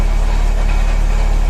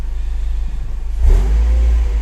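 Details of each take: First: Mercedes CLK idling with a steady, rapid low metallic rattle that is louder when the clutch pedal is pressed and still heard as the engine is switched off. Clutch and flywheel to be replaced. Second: Mercedes CLK after clutch and flywheel replacement for a metallic noise at idle that eased with clutch pressed: smooth rev from steady idle with no metallic rattle or knock, gears shift fine; noise gone, running healthy.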